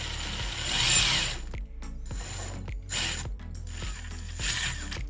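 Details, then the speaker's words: RC crawler on Amazon Hilow-style chassis, pinion and spur gear mesh tightened slightly: short whirring bursts as motor and gears spin up and drop off, no grinding or skipping, perhaps a slightly quieter tone; normal gear mesh. "I did tighten the pinion and spur gear up just a little bit"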